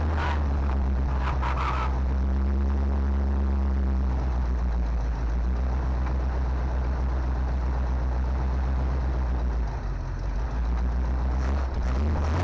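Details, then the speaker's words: 1970 Chevy C20 dump truck, sitting 20–30 years, just fuelled and started: deep, steady V8 idle with no misses or knocks, running surprisingly well, no fuel pump leaks. "no way man that is running way too good"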